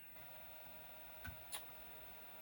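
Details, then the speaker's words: MSD SD2 dual disk drive connected to a Commodore 64, loading the Magic SID program. Quiet steady hiss with two sharp head-step clicks; normal floppy drive loading noise. "you can still hear the magical noises of the disk drive. You can. Yep. Soon it will be finishing."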